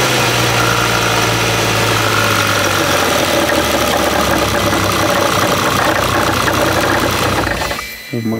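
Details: Bentley W12 engine at idle: loud, constant metallic chatter over the idle, not rising or falling; owners first feared cylinder head or main bearing, but the cause is a worn alternator rear bearing.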